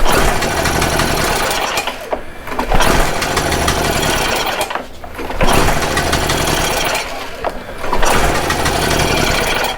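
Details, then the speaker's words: Stihl Magnum BR800 two-stroke blower that owner says doesn't run right, at full throttle with choke off: surges roughly every two and a half seconds then drops out, sputtering unevenly on start-up. Mechanic thinks it may have been flooded. "you can do it okay oh there it is"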